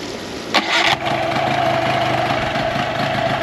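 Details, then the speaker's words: Tohatsu 9.8 long-shaft electric-start outboard after maintenance: brief crank, catches at once, steady even idle; no leaks, pumping water well; normal start and idle. "So the motor starts right up. No leaks, nothing's going on. It's pumping water perfect."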